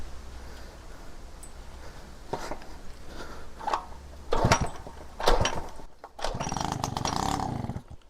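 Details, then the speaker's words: Peugeot 103 RCX moped two-stroke, first start after engine rebuild and carb cleaning, choke pulled manually by cable: scattered pops and coughs, then catches on choke and runs raggedly briefly. "And it fired. Sounds good. See if without choke."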